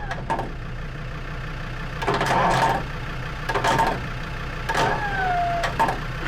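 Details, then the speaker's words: Lansing Bagnall Model A tug with a poorly Perkins P4 diesel that has compression but sat for a long time, cold: slow cranking bursts with only the odd weak firing, never running. Owner suspects not enough heat; not confirmed. "they are notoriously difficult to start from coold and know this one's been sat for so long could be just that we just got to keep persevering"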